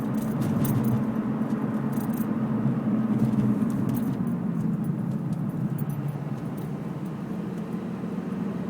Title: Loud Tire noise?